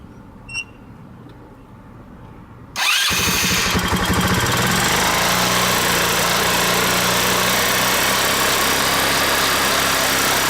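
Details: 150cc scooter starting and idling fast and rough with a hunting, uneven beat and no throttle. The idle screw was turned way up to stop stalling and the wheel spins. Erratic high idle with vacuum leak symptoms, leak not yet found.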